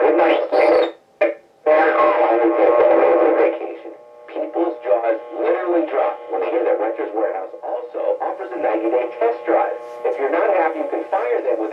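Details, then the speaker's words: Restored 1924 Four-Circuit Laurence Cockaday regenerative receiver on test: music and voices come through clean and steady, with no hum, crackle or fading, while it picks up the 2 local AM stations. Clear reception. "this one absolutely sounds good. I've been able to pick up the 2 local stations."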